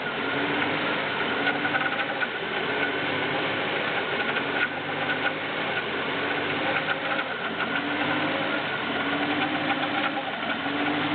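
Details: BMW E36 318is M44B19 engine on cold start: metallic tapping over the idle while rpm hunts from 1000 to 1500 and back repeatedly; cause unknown.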